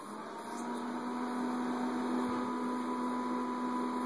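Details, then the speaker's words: Whirlpool Gold microwave GH9185XLQ-0, warmed up and running empty: even electrical hum with a buzzy tone and faint rattle from the top, unusually noisy. It cuts out after seconds and restarts; owner suspects the magnetron leaking EMI into the control board. "But it it's making a little bit of a racket up here, which is atypical."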